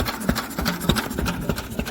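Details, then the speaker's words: Lister commercial single-cylinder engine after magneto chain tightening, in run position: slow, fairly even thump with no misses or knocks; running nicely. "well that's basically i was running absolutely lovely uh he's running an absolute tree absolutely love it"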